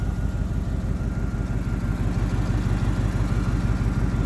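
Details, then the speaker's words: 1987 Camaro IROC-Z V8, idling as it gets hot; the cooling fans are on a manual toggle switch, not wired to the thermostat or temperature sensor. Even idle under a steady airy fan rush. Fans running normally. "so yeah you guys um my fans are actually on a toggle switch down there because uh for whatever reason they're not hooked up to the thermostat or the temperature sensor"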